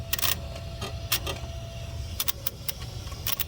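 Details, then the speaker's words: 2001 Monte Carlo 3.8L with random stalling and no-starts: wiggling the ignition module connection makes injectors chatter in sharp irregular clicks over the engine, with RPM signal spiking to 32,000; faulty ignition module. "you can hear them they freak it out i was getting rpm signals up to 32 000 rpm just a little while ago and that's me wiggling it you can hear the injectors just fritzing out so there it was bad ignition module"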